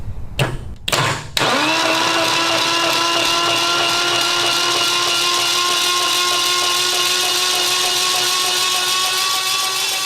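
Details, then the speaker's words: Retired military generator engine, 4A032 four-cylinder or 2A016 two-cylinder, cranked on a jumper: harsh loud straining starter whir, engine not turning freely, seized and not freeing up; spark present. "kind of loud it is it's not freeing up"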